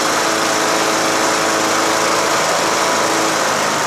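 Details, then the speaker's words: John Deere L100 lawn tractor, after a carburetor clean with the fuel mixture screw removed and blown out (it surged before): steady, even, high-pitched low-throttle idle with no surging. Normal idle. "low throttle idle doesn't surge anymore runs great and i connected the magneto wire and it shuts off awesome awesome"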